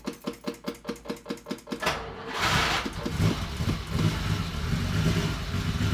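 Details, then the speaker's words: 1967 Ferrari 275 GTB/4 carbureted engine, stone-cold start after pedal pumps to prime via accelerator pumps: nearly two seconds of cranking, then a rough, uneven cold idle; a hard, cold-blooded start. "All right, a little cold blooded."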